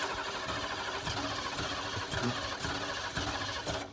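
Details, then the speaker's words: Ford F-150 sitting about ten years, starting spray used; slow, regular cranking chugs with occasional catches that die away, oil pressure building while cranking: cranks but will not start. "yeah I noticed when we were cranking it before it's building up oil pressure too so that's nice yeah keep spraying I found some more spray okay yep Casey spray um and it didn't blow fire out that would have been awesome if it did though so close"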